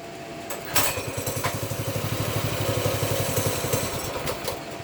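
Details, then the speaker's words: Baja Warrior 200cc single-cylinder, choke off after brief warm-up, throttle run by hand: uneven sputtering, firing picks up then fades and stumbles; owner suspects fuel level just below the tank pickup tube, fuel starvation. "Is it out of gas? I don't know."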